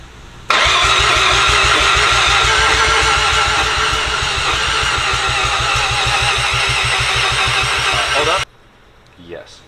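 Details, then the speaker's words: Rotary engine first start after rebuild with new apex seals, good oil pressure from cranking: even starter chugging about twice a second with only a few weak catches; low compression as the new apex seals haven't seated yet. "I know the first star is always the hardest one it doesn't have much compression right now you know because we have like the new Apex seals that haven't seeded and stuff like that"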